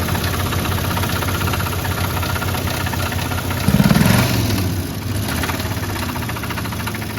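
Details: Propane-capable engine fully cooled down, mildly chilly start of a blown engine expected to lock up; rough uneven idle with heavy low knock about four per second and a louder rattling burst midway: engine knock at idle.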